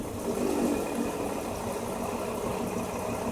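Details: 2005 Nissan Murano V6 with a misfire and no fault code, injectors disabled one by one with a scanner: the engine stumbles unevenly as each working cylinder drops out; cylinder 4 makes no difference, so its injector is the faulty one.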